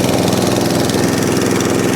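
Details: Atco Balmoral 14S single-cylinder mower: runs fast, smooth and even with a steady beat and no misses or surging; running healthy, though the drive is grunchy and the owner suspects a failing pinion gear.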